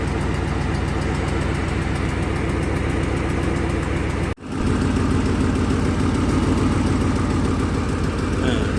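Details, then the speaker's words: 75,000-mile donor engine for a 2008 Ford Mustang GT (S197): steady, even V8 burble at idle with a consistent firing rhythm. No knocking or ticking; healthy-sounding. "this motor has 75,000 miles on it see sounds perfect"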